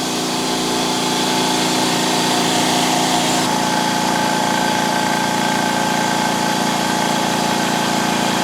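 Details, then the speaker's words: Powerhouse PH-OLESS-30L-1HP oil-less air compressor, 750 W, 220 V, 1480 rpm, on auto: loud steady motor drone with rapid chatter, no knocks, building tank pressure until auto shut-off around 120 psi; normal running. "nothing is auto position then automatically it will turn on then look at the pressure gauge reach its limit in this case around 120 psi"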